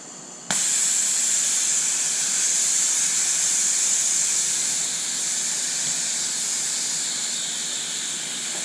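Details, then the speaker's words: Central Pneumatic 40 lb portable soda blaster after assembly: steady high-pitched hiss starts suddenly and holds once the tank is pressurized, an air leak. "I'm no expert on hissing sounds, but that sounds like a hissing sound."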